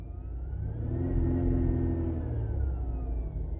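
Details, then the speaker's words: 2008 Dodge Charger 3.5L V6, failing alternator before replacement: a thin high whine over the idling engine, heard under the hood and inside the cabin, grows louder as revs rise and fades as rpm drops; alternator whine. "you can hear the alternator winding a little bit now rev it up there you go you can hear their wine a little bored I'll show you what it sounds like on the inside you can hear that whining the woods ever so slightly and then if I rev it it gets even louder"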